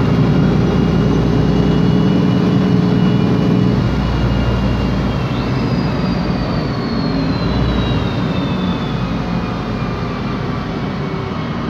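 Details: 2007 MAN Lion's Classic city bus, MAN E2876 LUH03 EEV CNG engine, Voith DIWA 864.3 4-speed, while driving: thin high whine rising and falling with road speed over low road rumble; rear axle/differential whine suspected, not confirmed.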